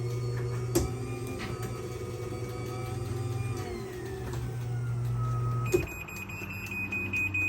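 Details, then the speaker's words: New Chamberlain MyQ belt-drive garage door opener during install, running up after setting limits: smooth steady motor hum as the door travels, slowing near its set position, then a clunk at the stop; normal operation. "you can hear these uh newer ones once they get to that desired position they actually slow down so it's not slamming shut"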